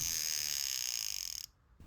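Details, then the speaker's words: Soviet Poljot "Cricket" alarm watch, caliber 2612.1 (an AS1475 copy), before service: a fast, high, rasping buzz runs steadily for over a second then stops, like a bee caught behind a window; the alarm works. "okay well that's a good sign although when I hear that I don't think of a cricket sounds more like a bee caught behind a window"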